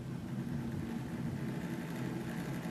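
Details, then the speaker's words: Intel Foxconn CPU fan on a 1975 bench DC supply at about 4 volts, well under its nominal 12 V: low wavering, labouring hum; the undervolted fan turns slowly and roughly. "yeah you can hear that's not that's not too happy so that's about four volts"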